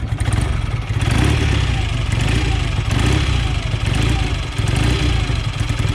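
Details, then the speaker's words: BSA A65 Lightning parallel twin just after a completed rebuild with fuel filters and twin carbs, started first kick: idles evenly and swells smoothly through throttle blips without missing or rattling; beautiful-sounding engine. "I'm not sure if the engine's good or not. It's got a beautiful sound. Oh, it's lovely."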